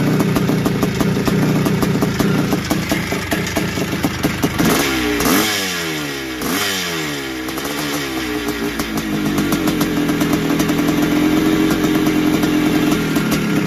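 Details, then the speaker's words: 1981 Suzuki RM465 big-bore two-stroke barn find, started with fuel down the plug, heavy smoke: uneven running with loose rattle through revs and rough blip; worn top end suspected, possibly blown main seals, unconfirmed. "no it sounds like it needs a top end or something sounds a bit rattly and it could even have a blown sure by the amount of smoke that was going out the back"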